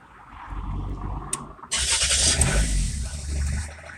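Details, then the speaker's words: Rover 75 at idle: sounds fine until the air conditioning is switched on, then a light, loosely regular tapping about three or four a second; also taps when turning the wheel; battery and alternator charging fine; cause unclear. "now it's sounds fine and when i put the air conditioning on you'll notice it as well"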